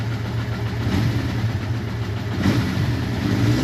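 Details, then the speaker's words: Suzuki GS550T motorcycle at its first start in 10 years, after ultrasonic carb cleaning, warming up at idle: low, uneven idle with a loose clattery valve patter; the valves likely need adjusting, possibly new shims, and the cam chain adjuster is to be checked. "at idle speed the engine sounds okay the valves sound like a they're gonna definitely need some adjusting"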